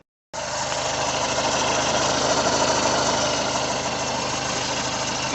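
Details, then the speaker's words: Peugeot 2008 1.6 HDi DV6 diesel with 131,000 on the odometer, at idle: a rough, rattly chatter rides on a steady idle from a worn crankshaft pulley, only slightly quieter after spray grease behind it; the fix is replacing the pulley. "if we start it up it has quite down a little bit but we've got a noise coming from the crank pulley"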